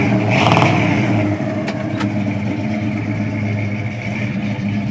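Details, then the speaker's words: 1974 Pontiac Firebird Formula, numbers-matching 400 V8 4-barrel, 3-speed automatic, dual exhaust: strong rev settling into a steady, even rumble, no knocks or misses; healthy engine. "We'll get into it in a second, but numbers matching 400 and 3-speed automatic transmission. Really nice sound and dual exhaust."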